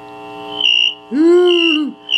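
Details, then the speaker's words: General Electric C-403A radio with the front-end RF bypass capacitor disconnected: high whistling and swooping bird-like chirp over a hum, front-end oscillation; likely from a shorted or open grounded capacitor. "you know you know when you hear that bird chirping usually it's in them in the front end of the radio check that out"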